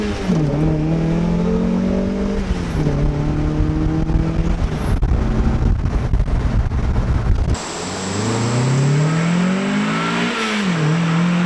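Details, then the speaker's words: Car turbocharged with CX Racing V2 kit (different turbo), FMU, after new fuel pump installation, hot day: pitch climbs cleanly through each gear, drops at shifts and pulls again without misfire; healthy under boost. "Okay, so let's take the car for a rip, which I can already tell you just from the drive home that the car is running a lot better."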